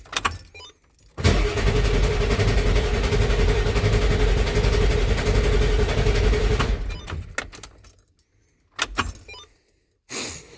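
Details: 1994.5 Ford F-350 7.3 Powerstroke after installing 160/00 injectors and a new intake, cold Alaska winter: starter grinds at a steady three to four beats a second for about five seconds without catching; air in the head oil and fuel, oil rails not pre-filled.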